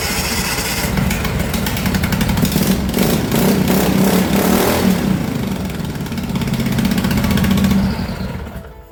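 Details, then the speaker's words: MX-1 racing mower single-cylinder engine after the owner's first valve adjustment, with a new battery: it catches almost at once and runs steady and even for several seconds before shutdown; easier starting than ever. "I would say it was a smashing success. It has never started that easy."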